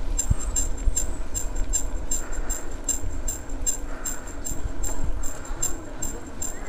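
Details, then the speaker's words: Exotic ET2613 26-inch mountain bike, ridden: sharp high squeaks recurring about every half second from the front wheel; front disc brake rotor not true (slightly bent) rubbing, per the repair shop. "nah itu tadi kalian sudah dengar sendiri ya suara tikus itu terdapat di roda depan ya di roda depan tepatnya di bagian rem cakramnya itu"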